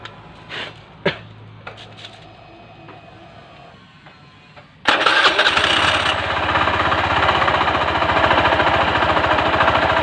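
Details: Honda Beat FI scooter brought in as noisy around the CVT, with the noise traced to the front. Rough, rattly idle with a steady knock riding on the engine beat and no clear spin-up change.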